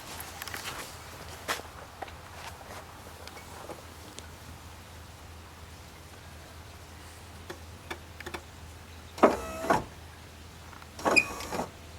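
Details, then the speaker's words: 1990–1997 Mazda Miata MX5 pop-up headlights cycled up and down: two short motor runs with a thin squeak, traced to the driver's side, still squeaking despite heavy lubrication. "I don't know why it's still doing it, to be honest with you. It's really bizarre, because it's lubricated up the wazoo now."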